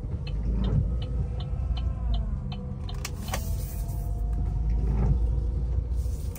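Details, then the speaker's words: Chevrolet Cruze on a rainy road test: a faint whine climbing with road speed over a low rumble, heard at low speed but not high; a broken plastic oil guide in the gearbox starves the chain of oil; fix by lowering the gearbox and replacing the part. "cái đấy thì nó không dầu dẫn lên xích được nên là nó có tiếng réo này cái này chỉ việc hạ số ra thay là hết"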